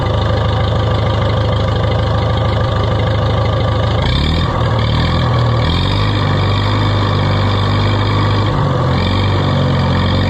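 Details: Oliver 66 tractor after revival work: low, steady idle with a small speed change, firing evenly with no misses or knocks; running fine, temperature gauge came down.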